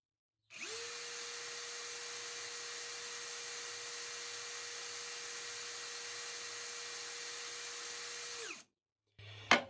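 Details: Narex CSP 12-2 Basic cordless hammer drill (Camouflage 20V series, 4Ah battery) spinning free with no load: smooth, steady mid-pitched whir for about eight seconds, no knocks or rattles; measured about 87 dB, with speeds above the rated 500/1750 rpm.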